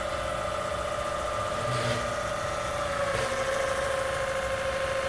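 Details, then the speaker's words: PM-25MV mill after a belt-drive speed upgrade, running at speed on the new timing-belt drive on top: smooth, steady tone with no tooth hum, whine or knocking; the belt drive is quieter than expected. "I thought maybe there'd be a little bit of a hum coming from that thing because as teeth but it's pretty good it's pretty quiet actually"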